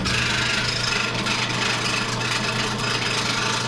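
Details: Maytag washer during initial spin: harsh continuous rasping scrape as the drum turns over a low steady motor hum; rubbing/scraping noise, cause unknown.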